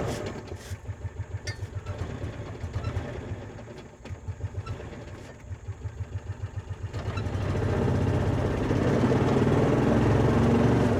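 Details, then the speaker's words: 2004 Kawasaki Mule 3010 petrol twin, likely unrun six or seven months, after new fuel pump and carburetor: uneven lumpy idle about four pulses a second on one cylinder, then catches and smooths; owner checks the coils after pulling one coil power wire off. "It's running on one cylinder. >> It's doing exactly what it did before."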